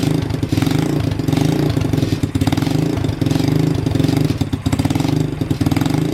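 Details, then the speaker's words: Motorbike-engined off-road buggy, SYM single of unknown size (owner assumes 125 or 250cc), after oil change, temporary fuel tank: cold engine chugs on choke with steady low beat and picks up cleanly; carbs well tuned, just needed choke a while. "well she's scking over nicely rev nicely so the carobs actually pretty tuned well so that's good you just had to hav't choke for a while so it's perfect"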